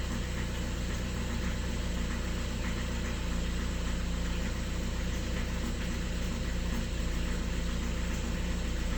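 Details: Skoda Octavia A7 2013 1.6 TDI, 188,000 km, cold start: diesel idle rumble with uneven knock about four per second, shaking as if one cylinder is off; knock disappears when warm, cause unconfirmed.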